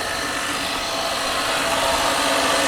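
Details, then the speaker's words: 1996 Mercedes S420 V8 at idle after air pump shuts off, microphone held at the pulley: steady rough hiss and grinding drone; belt pulley bearings worn out, pulley needs replacing, a common issue. "Now you listen to this pulley I'm going to take the microphone to it it is notoriously loud I throw you the bearings are gone in it so that has to be done"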